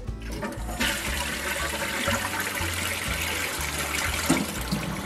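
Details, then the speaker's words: Briggs Vacuity 4400 series vacuum-assist toilet, bought new in 2000, before seal replacement: plain rushing flush with no deep glug at the end, so the vacuum tank gives no boost; leaking vacuum tank seal gaskets blamed; weak flush, vacuum-assist not working. "it don't glug. See, the water don't go glug, and it's got a glug, and when it glugs, that's when that vacuum tank works."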